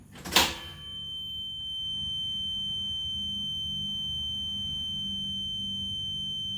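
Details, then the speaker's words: EZGO Express S4 golf cart stock reverse warning speaker, partly taped over, after a sharp click holds a loud steady high-pitched tone, about 63 dB on a meter versus 38–40 ambient; normal reverse warning tone. "it's just a high-pitched loud obnoxious sound and i understand what it's there for and i don't want to disable it completely but i want to make some changes to make it a little more comfortable on the ears"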